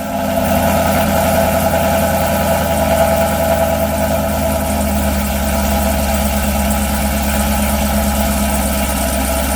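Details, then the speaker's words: 2018 Chevrolet Camaro ZL1 NPP valved exhaust after installing the Corsa anti-rattle spring kit: with the valves open, the idle is a deep, steady burble with even pulses and no buzzing or rattle. "and now of course we got to open the valves up"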